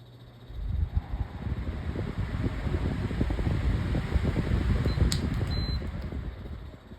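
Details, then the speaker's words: Pedestal fan that rattles at low speed and only starts if spun by hand: uneven low thumps about three a second as it coasts down instead of a smooth fade; the motor sounds rough and something is wrong with it. "Spin down. Why is the spin down so awful?"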